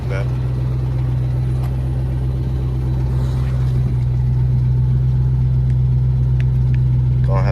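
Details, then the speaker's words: Ford Mustang GT New Edge V8 with mufflers, before straight piping: deep, loud idle with an uneven chuffing pulse about two or three times a second under the rumble. The owner says it has a fat exhaust leak that needs fixing. "well i'm going to try to see if i could get some driving real quick on the way there but i got a fat exhaust leak man"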